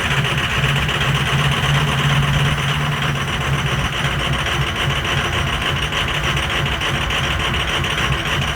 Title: Film cold start 6.0 Powerstroke with some bad injectors.